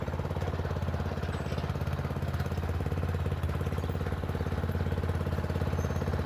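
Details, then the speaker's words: Murray Select 30-inch riding mower on a test drive up and down the driveway: a steady, even single-cylinder chug of about three beats a second with no misses. It runs okay and a bit better, though owner notes carburetor and gas tank issues. "So, it's running okay. It's running a little bit better."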